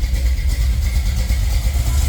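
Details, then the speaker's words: Chevy Nova V8 at normal idle, holding a steady 850 rpm as set, after the thermostat housing was resealed with RTV and the idle-cycling problem was fixed. Deep, even idle with no misses or hunting; sounds good, a little rich. "It's just sitting. at whatever that is, 850, which is right where I have it set. It sounds good. A little rich."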